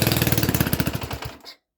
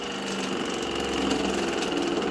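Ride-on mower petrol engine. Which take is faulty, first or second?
second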